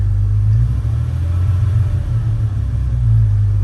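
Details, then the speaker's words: Jeep WJ 4.0 after rebuilding the throttle body with an A012 O-ring to fix a shaft air leak (lean code), one catalytic converter removed: steady even idle with no dips or stumbles; previously very rough at idle, now stable and normal. "one thing that that i was getting when i had that issue is the um the engine particularly at idle was really really rough so right now this is actually sounding pretty good"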